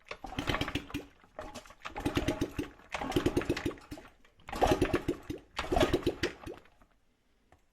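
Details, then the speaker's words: Honda CRF50 dump-find bike, no throttle tube, kill switch unplugged, run on starting fluid: small single coughs and short bursts fading within a second, won't hold idle unaided; engine dies without throttle. "Okay, so I promise it just ran. Except you need a bit of throttle. Needs a little bit of throttle to run."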